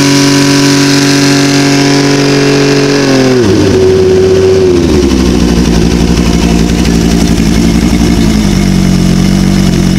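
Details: OMC Johnson 175 hp outboard on dyno at full load: steady high revs suddenly sag into lower ragged running as the power pack sends it into slow/limp mode; customer's symptoms had suggested fuel starvation.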